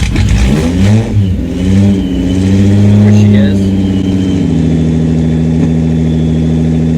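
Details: 1986 VW GTI (MK2), started on a cold morning it dislikes: after a couple of blips it drops to a crazy-low, heavy, lumpy idle with no throttle tension and sounds like it's missing.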